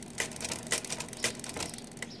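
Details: Marchant XL pinwheel mechanical calculator after repair, crank turned: crisp clatter with sharp clicks about every half second as the tens carry steps over cleanly; first counter position's tens carry still not working.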